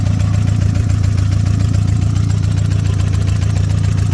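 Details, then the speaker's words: 1995 Nissan Hardbody turbo, stock internals, idling slightly lean, oil pressure about 20 at idle: quick even light ticking about three or four per second over the engine; injector ticking. "The tickling noise is the injector."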